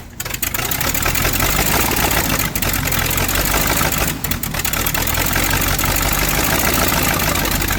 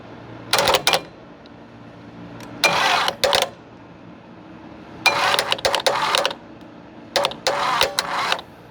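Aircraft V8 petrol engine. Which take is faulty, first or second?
second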